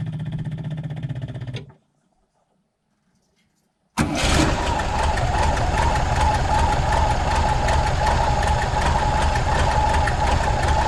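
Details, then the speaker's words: VW Bus with electric fuel pump and newly installed fuel pump controller/relay: at key-on the pump hammers for about 3 seconds then stops, and the engine then catches and idles steadily; working as intended. "What happens is I turn the key on, and you'll hear that the fuel pump kind of hammering away for about 3 seconds, and then it turns off."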